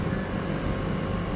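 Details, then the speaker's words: AC outdoor unit after washing its coil fins: the compressor runs with a steady low hum and light even vibration, and both pipes are sweating, which indicates normal operation. "jadi di sini saya cek kedua pipanya sudah berembun ya itu berarti normal dan suara kompresornya terdengar ada getaran"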